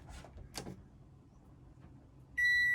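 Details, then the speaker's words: NewAge RoadOwl caravan, Enerdrive 2600 W inverter switched on while free camping, not plugged into mains: after handling noise, one clear high beep as power reaches the factory outlet; normal appliance power-on. "Now, watch what happens. I'll put the inverter on. All right, so I'm going to turn that switch on. All right, now we're not plugged in the mains, but watch. Listen for the beeps."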